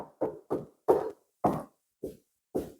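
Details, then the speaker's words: Triumph Stag Mk1 inner sill being tapped: short dull thuds with no ring, about two a second; sill is thick body filler over rot, filler peeling and cracking. "Now, this is a good place to check a Stag for rot carefully, but I can tell you now that the thickness of that inner sill is about that. This is just all filler."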